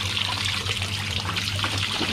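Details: Hitachi SF-160XTV washing machine after component replacement fixed no-power fault: steady hiss and trickle of water filling the drum with low hum underneath; filling normally.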